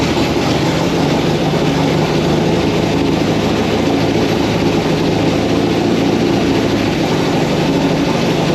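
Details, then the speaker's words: MGB sat for 15 years, run in the garage on a gravity-fed fuel tank after the carburetors were removed: steady, even drone with no misses, knocks or hunting over nine seconds; normal idle. "We took the carburetors off, we got my gravity-fed fuel tank, and we heard it fire up, no problems."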